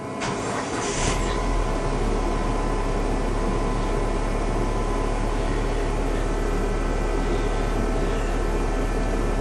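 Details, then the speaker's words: 2005 Dodge Neon after engine mount replacement and oil-soaked spark plugs: short crank, catches and settles into steady even idle, no stumble; no more flashing lights or misfire; normal idle. "Yeah, remember the first video? The lights will flash over here. No more flashing. No more misfire."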